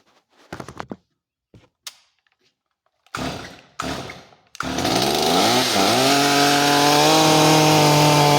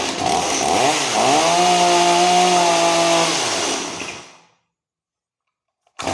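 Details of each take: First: Stihl MS250 chainsaw after carburetor and fuel line replacement, high-speed screw being closed a little to lean it: clean, steady two-stroke buzz whose pitch climbs smoothly as rpm increases and holds high; runs well. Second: Stihl MS250 two-stroke chainsaw just after carburetor and fuel line replacement, first start: revs, then a low burbling idle that sags and dies within seconds; idle set too low.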